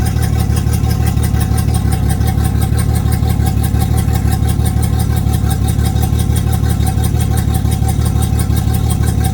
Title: Yamaha F225 Rough Idle 5/9/20